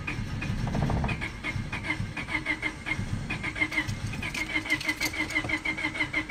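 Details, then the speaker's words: 1999 Honda Civic LX, also overheating: starter turns engine over in an even churn, about three beats a second, almost catches but never fires; radio and electrics work. Crank no start, cause unknown. "Now if I stop it, because it's not even coming on, but the radio and everything works, try again. See how it almost catches on?"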